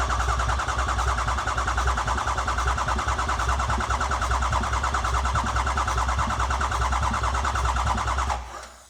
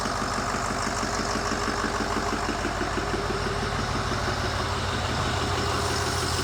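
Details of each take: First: 2008 Ford E350 diesel van, engine mostly rebuilt, first start attempt after cycling glow plugs, fuel pump running, ICP sensor unplugged: steady fast cranking about three turns a second without catching, battery getting low; cranks but won't start, pressures to be checked. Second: 2008 Ford E350 diesel, mostly rebuilt engine, first start with no coolant or radiator, IPR a little high from air in system: steady, even settled idle clatter with regular beat, no knocks or misses; oil pressure up, normal idle.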